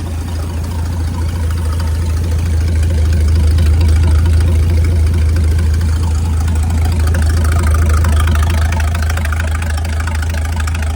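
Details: Mid-1950s Chris-Craft Model W (marinized Hercules WXLD) inboard in a 1940 23-ft triple-cockpit speedboat, freshly overhauled after an oil-pressure-loss failure, oil pump leak fixed with a copper washer, run-in test: steady even low idle, no knocks or misses; normal.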